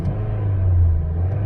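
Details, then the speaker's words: 2006 Chevy Cobalt with erratic idle and codes P0068, P0106 and random misfire, warm and held above 1,000 rpm: even, steady low hum with crisp response, no stumbles; runs smoothly above idle. "nice and smooth so anything above 1,000 RPMs the car runs great and I can just hold it steady there nice crisp response"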